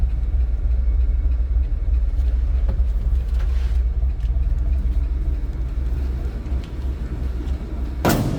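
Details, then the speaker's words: 1965 Ford F100 project truck, fires up the same way on each start: deep, steady idle rumble with an even rhythm, no knock or miss, door thud near the end; runs smoothly. "Each time I've started this truck, that's how it fires up. And it actually runs pretty darn smooth."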